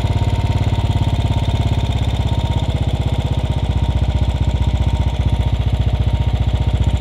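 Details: Royal Enfield Bullet 500 Standard (UCE 500, UCD33 carburettor) idling with the mixture screw turned clockwise to the leanest point before stalling: slow single-cylinder thump, fairly steady but slightly uneven; lean idle mixture during carburettor tuning.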